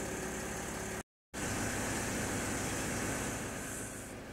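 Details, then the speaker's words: Mercedes GL X164 Airmatic after repair, the first fill taking longer because the air had been let out: a steady compressor hum over the idle tapers off as the car rises and settles at the right height. Normal compressor operation. "rising all around and settling all around compressor has stopped cars at the right height everything is pretty good"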